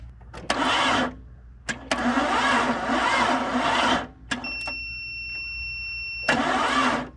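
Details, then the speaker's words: Barn-find 1998 Jeep Cherokee XJ, long-sitting engine, on jumper cables and a booster pack: several short, sluggish crank attempts with pauses; some oil pressure despite the slow turning. Slow cranking from weak battery. "well we did get a little bit of oil pressure even as slow as she's turning over so that's a good sign"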